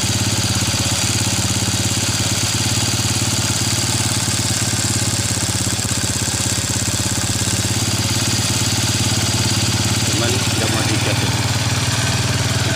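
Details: Early-generation Honda Revo carburetted single-cylinder motorcycle, stalls on throttle: uneven, loping idle that sags as if starving; ignition checked normal, spark plug black and dry; cause was a clogged carburetor jet.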